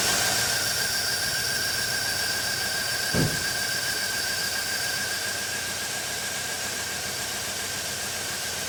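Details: 2007 Chevy Tahoe with crank-no-start and P0300 random misfire from a poor engine-block ground behind the cam sensor, running with a temporary alligator-clip ground: steady, even idle with constant accessory whine and one brief thump; shuts off when ground is removed.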